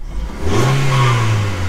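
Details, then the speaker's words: 2010 Hyundai i20 1.2 petrol, abandoned for years, quick start with a battery put on: short rev blip rises smoothly to an even clean hum, no knocks or rattles, no engine management lights on; engine sounds normal. "sounds well got no engine management lights on no issues there it's not sounding reasonably well"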